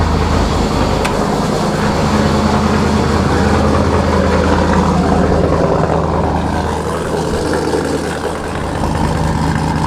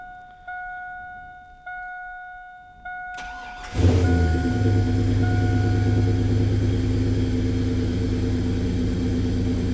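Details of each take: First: Camaro with Sniper EFI, cold start recorded from behind the car: loud, deep, steady rumble at raised cold idle, smooth and even, no knocks or misses; healthy engine. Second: S10 with new bigger intake, untuned, small fuel leak: cranks, catches quickly and settles to a steady but fast idle; owner suspects the bigger intake causes high idle, which drops once warm.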